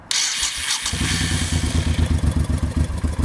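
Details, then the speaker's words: 1989 Honda VT1100C Shadow Spirit V-twin fires after a brief crank and settles into an even, lumpy idle with no knocks or rattles; a mystery sound near the starter on the left crankcase appears at switch-off. "it runs just fine now when I flip the switch off hopefully you'll hear it kick back and do that Ram sound again so here we go"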